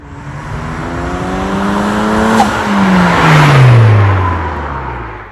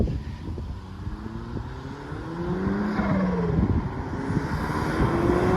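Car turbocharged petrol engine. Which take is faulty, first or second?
second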